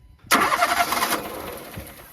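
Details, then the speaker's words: Old Renault Clio with two cylinders disabled: engine catches abruptly, then runs with an uneven, lumpy beat and heavy smoke before fading; misfiring, running on only two cylinders. "Bon, la même chose, et si on enlevait 2 cylindres? 2 cylindres. Ah, est-ce qu'elle démarre avec 2 cylindres?"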